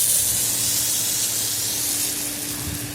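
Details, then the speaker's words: In-ground sprinkler system being opened for spring, zone five last head after cleaning: steady, even hiss of water spraying with no sputter or gurgle; head firing well, zone working normally. "clean all that off and that's all good seems to be firing well so we'll wait for zone six"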